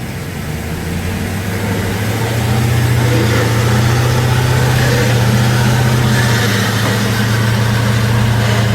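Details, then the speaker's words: 2015 Ram 1500 rear differential, heard from underneath at about 40–50 mph: steady low gear howl rises on acceleration and eases on decel; customer suspected carrier bearings, fluid full, ring and pinion found with zero backlash. "Acceleration, that's deceleration. Alright, that's pretty bad."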